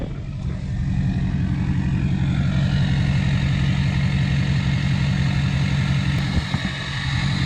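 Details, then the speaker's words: 2006 Chevy LBZ Duramax, in limp mode, switched to first tune: steady low diesel idle with a faint airy turbo hiss on top; first and second tunes have this hiss at idle. "here here it comes all right so the Idol or the turbo or whatever is pissing right now that is my first tune my first tune my first and second tune have a hiss"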